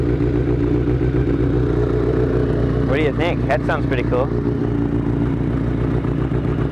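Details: 1983 Kawasaki GPZ-550 garage find after carb rebuild with new float needle and seat, Kerker exhaust: steady even four-cylinder idle with deep smooth burble; healthy, running nicely.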